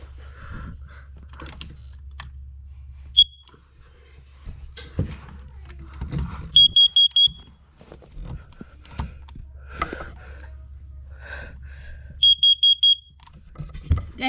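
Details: First Alert CO606 carbon monoxide alarm (marked March 4, 2019), plugged in and tested: two bursts of four quick, high, somewhat muffled beeps, the upstairs unit further away; alarm working normally.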